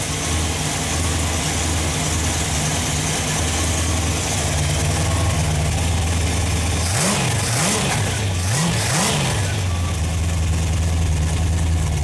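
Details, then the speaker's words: Freshly rebuilt Ford FE 390 V8 with a mild cam (1964 Thunderbird, Edelbrock fuel injection), cold start: steady, even idle with clean throttle blips, sounds healthy. A slight chatter is suspected from poor starter Bendix-to-flywheel clearance. "Well, guys, still sounds really good. I mean, I can't complain. Started right up. Just sounds really good."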